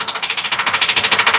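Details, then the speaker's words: 2013 Ford E450 6.8 V10, towed in, misfire codes cylinders 1, 6 and 10, slow long crank: sharp fast metallic ticking about fourteen per second like a ratchet; an exhaust valve sticking closed is suspected. "o el ruido de este motor pueden escuchar parece matraca cuando se queda cerrada Ah se queda cerrada la válvula de Misión"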